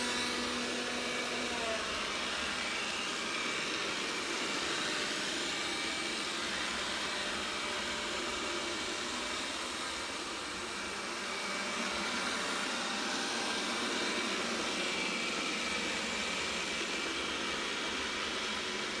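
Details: Roborock S6 robot vacuum running, steady high-pitched motor whir with an added buzzing edge throughout; abnormal buzzing noise.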